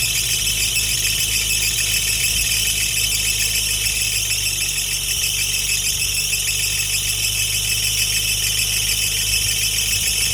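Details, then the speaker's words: Nissan 350Z VQ35DE at first start-up after valve stem seal and timing chain replacement, airbox connected temporarily; steady high-pitched squeal over low idle, owner suspects a belt that isn't tight enough. "she is alive woo I think you guys heard the squeaking noise probably is the is one of the belts which isn't very tight"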